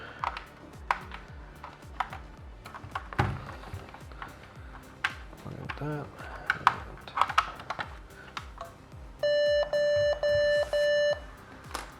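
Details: Old Asus mini PC (4 GB RAM as two 2 GB sticks) with only the bottom-slot stick fitted: four long, evenly spaced beeps at power-on over faint clicking, and no boot. A later move to the top slot boots; a bad RAM slot is suspected.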